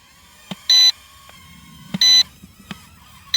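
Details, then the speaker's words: GT3 toy camera drone about 5.5 minutes into recording, struggling to fly back: short high beeps repeating about every second and a half over faint motor hum; low battery warning before it drops. "Słyszycie jak pika, że już jest koniec baterii."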